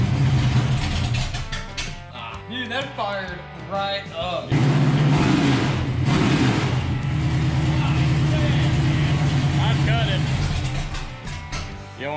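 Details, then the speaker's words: 454 V8 in a crew cab dually C30 square-body truck, first run in 3 years with a new battery, fires right up and settles into a deep, even lope with no knocks or misses; background music. "holy crap that sounds good ready to see this unit i just had it running dude it fired right up"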